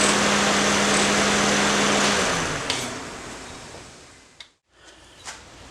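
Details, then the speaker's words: Honda after replacing the failed power steering inlet hose O-ring and refilling with Honda fluid, idling with cooling fan running: no whine from the pump, power steering essentially silent; normal. "that is pretty much no noise whatsoever fans kicked on all that so there may have been just a slightest bit of noise I didn't hear I doubt it though"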